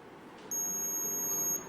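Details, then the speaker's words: Arduino remote-monitoring rig with the temperature sensor heated by a soldering iron past its alarm threshold (set at 45°, alert shown above 48°): the AC bulb switches off and the buzzer gives a sharp beep, an over-temperature alarm, while a GSM alert is sent. "The AC bulb gets off and you can hear the buzzer beeping."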